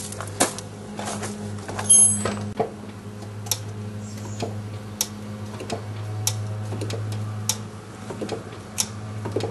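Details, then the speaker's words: Drum brake after wheel cylinder replacement and reassembly, before bleeding: sharp clicks every half second as the emergency brake is worked; self-adjuster ratcheting normally. "so I can go inside and adjust the brakes using the emergency brake and you should be able to hear it [Music] clicking there we go"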